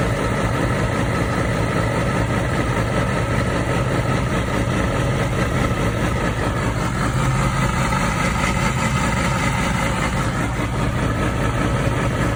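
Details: 2006 Yamaha R6 RJ11, 20,000 km, cold start idle: dry sawing rasp over the engine note, not always present, returns for 10-20 seconds after 15 minutes cooling from warm; source unknown.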